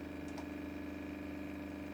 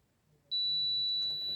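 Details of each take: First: Nakamichi 481 three-head cassette deck, bought with previous failure, powered on with nothing selected while something smells hot: steady low motor hum with faint even rhythm; reel motor running uncommanded, play mode does nothing else. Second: Multimeter continuity check of a fuse in a Nakamichi 481 three-head cassette deck that arrived having smoked: a single steady high beep lasting about a second; continuity present, fuse good.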